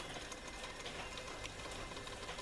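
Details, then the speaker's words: Elizabethan LZ34 tape recorder with TD10 deck: a busy, even whirr and chatter from the transport with uneven drag, and tape speed wavering intermittently. Capstan rubbing suspected, not confirmed. "i almost think that that capstan is uh rubbing you while changing"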